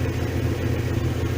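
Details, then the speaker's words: VW T3/T25 Vanagon with Subaru H6 3.0 swap, temperature rising after the starter motor was changed: revs wander slightly but the flat-six holds a much more stable, smooth, even idle with no misses. "Temperature's increased, revs have sort of gone up and down a bit, but they're sort of going up and down still, but I don't know whether you can hear, basically it's much more stable and idle."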